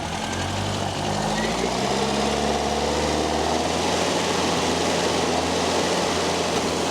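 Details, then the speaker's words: Datsun Sunny truck at first start-up after a rebuilt A15 replaced the A12, timing about 13°: a slow idle that rises and falls, loping unevenly and perhaps set too low; a vacuum line was found unplugged. "Yeah, that be enough. A little bit of a lopey idle. Maybe too low."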